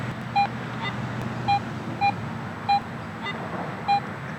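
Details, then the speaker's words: AT Pro metal detector after automatic ground balance, coil swung near the ground: crisp high beeps about once a second over a quiet hum, no ground chatter; real target at about eight inches. "i'm getting a target response there and it's bouncing up toward a high signal it's a little you know iffy at times but to me there's clearly something down there"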